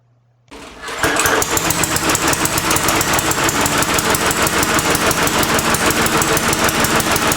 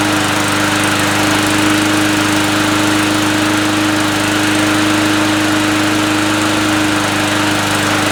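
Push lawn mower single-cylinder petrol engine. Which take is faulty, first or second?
first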